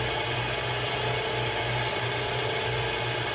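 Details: Bolton Tools ZX32GP bench top mill after quill bearing and seal replacement, gearhead run at high speed: steady, even gear whir with no knocks, grinding or rattles; runs smooth and healthy.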